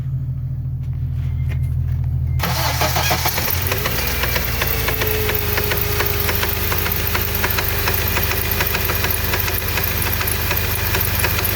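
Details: Honda K24 petrol engine cranks, catches and settles into idle with a strange steady knocking tick riding over it.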